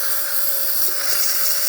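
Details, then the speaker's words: Gaggia espresso machine after pump replacement for zero pump pressure, boiler at temperature and sealed: strong steady steam-wand hiss, even pitch, no sputtering or pulsing; full healthy steam output. "And now we can test the steamer itself, and as you can hear and see, excellent steam coming out from the steamer one,"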